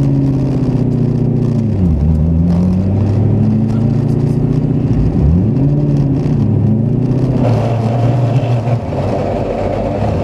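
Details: Fidanza 7.6 ceramic twin-disc clutch: the engine note sags and shudders each time the clutch engages and disengages, chattering since the car was first driven; the owner is unsure whether it is his technique. Clutch chatter suspected, not confirmed.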